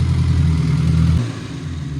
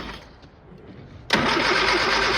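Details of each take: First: Old Austin Mini Cooper that wouldn't start, after adjusting the distributor and throttle: a strong deep rev held briefly, then drops cleanly to a smooth, even idle with no stumble; now running good. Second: Old Austin Mini Cooper after ignition rewiring: after a click the starter churns steadily at about three beats a second for two seconds but never catches. Crank, no start; timing or burnt points are suspected.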